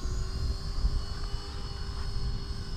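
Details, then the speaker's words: Align 450-size RC helicopter, 3400 kV motor, Castle Ice 50 ESC with logger, headspeed test: steady even whir with clean high whine holding pitch, no wobble or chatter; rotor spinning normally. "two. There we go. That sounds pretty good. We'll get an average speed."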